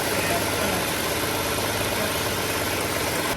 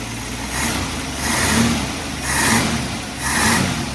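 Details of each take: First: 1967 Ford Mustang warming to idle after carburetor main jet opened and float adjusted to fix very lean mixture (previously AFR 18–19): steady even idle, no surging or stumbling, now near stoichiometric 14.7 at idle. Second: Warm 1967 Mustang with rebuilt carburettor on the dyno; idle surges up and down about once a second, hunting rather than holding steady, and tends to die at idle after warm-up. Tailpipe AFR probe shows super lean at idle and still lean with fuel: lean idle mixture.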